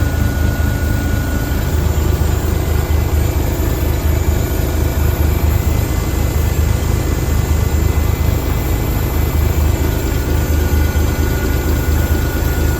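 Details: 1978 International Transtar II cabover diesel, first start after sitting 3 years during restoration: loud, deep, steady idle with an even pulse, no knocks or misses; engine sounds healthy.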